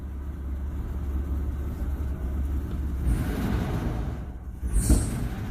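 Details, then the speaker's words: 1994 Isuzu Rodeo engine surging, possibly running lean: rough low idle broken by sharp pops on snap throttle, backfiring through the intake and barely revving; cause suspected, not confirmed. "yeah you can hear it backfiring do it right here once yeah i try to snap throttle it and it's running so crappy it doesn't really rev up"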